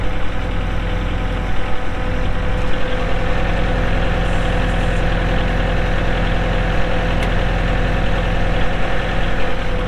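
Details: 2023 Kubota L4701 tractor, 47 hp gear-drive diesel, 4WD, only 98 hours: steady, even diesel clatter with a deep low rumble and no knocks or misses; healthy, smooth idle.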